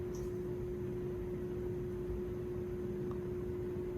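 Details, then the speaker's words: Lakewood box fan model 225 on low speed: a steady low motor hum over soft airflow; owner thinks the motor is warming up, as the hum fades after running a while, cause unconfirmed. "now you can hear the humming sound that's because the fan's trying to warm itself up"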